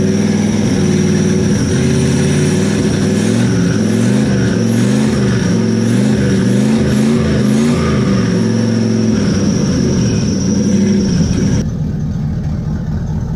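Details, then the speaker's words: Turbo LS V8 Camaro at its first start after the turbo was mounted (no cold side yet, throttle temporarily zip-tied): loud open V8 rising and falling through repeated revs with a rising turbo whistle, no stumbling. Normal running and revving. "oh yeah it's definitely running now still pretty loud when you're wrapping up"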